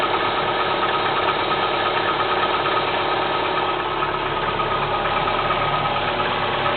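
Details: Kia Spectra 1.6 engine at cold idle: a steady light tapping rides over the engine note, roughly three evenly paced knocks a second; internal engine knock, cause unknown.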